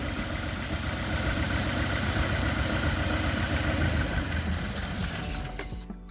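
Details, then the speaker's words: Honda Accord CB7 with a G23 VTEC engine, cylinder drop test at idle: unplugging injector 1 makes the engine run ragged and stall, while dropping cylinder 2 gave no change. This points to a cylinder 2 misfire. "can see the motor struggling to keep fuel in there and she just shut off"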